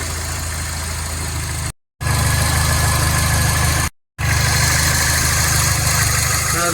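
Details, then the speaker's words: Mini Cooper S idling smoothly after a no-start fault, once a new high pressure fuel pump and in-tank fuel filter were fitted; steady even idle, low hum, no misfire or stumble, sounds healthy after running a couple of minutes. "let's see if it starts sounds better after it was taken over for a couple of minutes and it suddenly started sounding even better"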